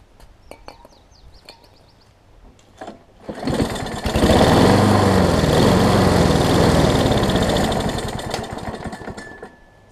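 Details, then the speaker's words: Craftsman self-propelled push mower after flywheel key and carb repair, started with starter fluid: runs steady several seconds then sags and dies as if fuel-starved; owner suspects stuck carburetor float. "it almost sounds like the float's gotten stuck on it, unfortunately."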